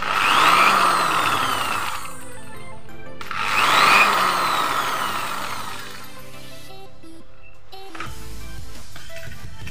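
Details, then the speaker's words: 350 W electric drill on a Taffware NBQ1000W pure-sine inverter from a 12 V battery at about 12.8 V: two smooth spin-ups, pitch climbing then falling, no buzz or roughness; runs smoothly, like mains power. "Muternya sangat halus sekali ya mesinnya teman-teman ya, enggak berisik. Ini beban induksi atau rotor nih, halus sekali suaranya, seperti layaknya menggunakan listrik PLN"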